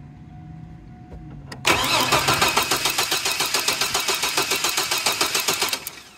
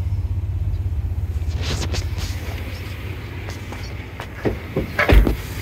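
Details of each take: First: 2002 GMC Sonoma 4.3 Vortec, parked since 2017 with rat-chewed wiring and old fuel: cranks in even chugs but won't start because the fuel pump isn't turning on. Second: 2002 GMC Sonoma, 4.3 Vortec, parked since 2017, running after a crank-no-start repair (chewed wires, old fuel, new fuel pump and spider injectors): a low even rumble with a steady beat and no knocks or misses.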